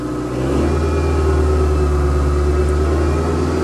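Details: 1992 Honda Accord LX sedan, previously running rough, started right after EGR valve replacement. It catches and settles into a smooth, even low hum with a light rev; runs normally.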